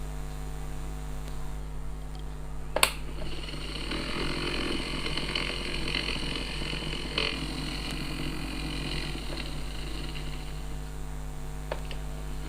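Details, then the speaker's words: Previously jammed air-cooler fan motor, after repair, running on a test connection: steady low mains hum with no grinding or labouring. It turns in the correct direction for the fan, so the power wire stays where it is. "तो ध्यान दीजिए इस motor पर, ये सही दिशा में घूम रहा है।"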